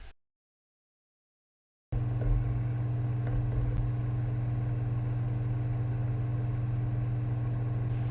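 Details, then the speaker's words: Sony PSX DESR-7000 with Matrix Infinity v1.93 modchip, KHS-400C laser, booting a recordable PS2 DVD: short silence, then a steady low spinning hum without clicking, ticking or grinding, normal optical drive operation. "sounds fine again no clicking ticking funny noises"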